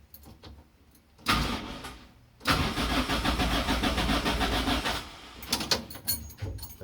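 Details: Engine cranks steadily for a couple of seconds but never fires on a rebuilt car being started; fuel pump was not powered (unconnected loom), so no fuel delivered.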